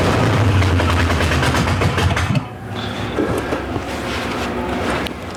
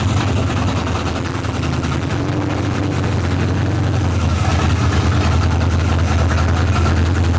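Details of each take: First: Monte Carlo hot rod after cylinder head replacement with Teflon valve seals for a high-lift cam: fast even cranking pulses about four per second with a few catches, then drops away; fires briefly but won't keep running. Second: Monte Carlo V8 hot rod after cylinder head replacement, with a high-lift cam, running on open headers: loud, deep, even idle rumble with no misses, ticks or knocks; engine running healthy.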